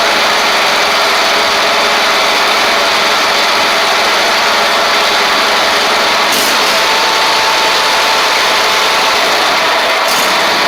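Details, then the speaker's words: Ferris stand-on mower, Briggs OHV twin, after fixing a one-cylinder misfire: steady, even idle with no missing beats or stumbles; both cylinders firing smoothly. "Maybe a little smoke just from where that cylinder has been kind of weak or not been burning off any fuel, but let's see."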